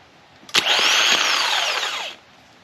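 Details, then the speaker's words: Chevrolet Biscayne, mini starter bench-tested off the car after it stopped working: sharp engagement clunk then high free whir spinning up and coasting down about 1.5 s; starter is good. "So your starter's good. Yeah, starter's good. So starter's all good."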